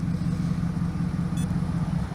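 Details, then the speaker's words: 1999 Pontiac Trans Am LS1 V8, automatic, after an old fuel pump or clogged filter was replaced and it felt like new: a deep, even low rumble holding a steady beat with no ticking or skipping; normal idle. "so let's hear it start up so you can hear the boiling cost yeah it sounds good it's super fun to drive I hate to see it go but it's time"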